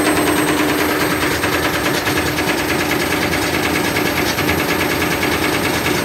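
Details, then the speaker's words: Candy Grand'O Vita GVC D91 CBB tumble dryer fitted with a universal washing machine motor: drum spins far too fast, fast uneven bashing and scraping over steady motor hum as it tears the white plastic front swipe pieces. "you could hear it bashing around and it seems to be tearing some plastic off there those white swipe pieces seem to be getting cut off that plastic front piece"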